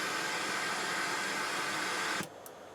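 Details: Rotel RX-802 vintage receiver, FM tuner section under restoration: loud steady interstation rushing hiss for about two seconds, then it drops to near quiet. FM muting is not reliably suppressing it, and there is no stereo indicator light. Cause suspected, not confirmed.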